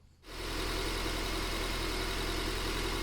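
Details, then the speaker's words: Petrol engine at idle during a cylinder power balance test, with the injectors unplugged one at a time: idle sounds slightly lumpy and uneven under a steady hum, and unplugging number 4 makes no difference; failed injector on cylinder 4 causing a misfire. "No difference on that one. Connect it back on. One more time. And just by doing that quick disconnect check, we have confirmed we have an injector issue on number 4."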